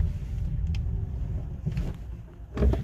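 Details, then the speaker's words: 2019 Hyundai Kona EV on test drive after lubrication: low, steady road rumble with no ticking from the drive shaft while turning at full lock; noise gone for now but may return, not a root fix. "예 지금 테스트 드라이브를 나왔는데요 중 소리는 없어졌습니다 지금 제가 한두 바퀴 돌았는데 그 소리는 한번도 나지는 않아요"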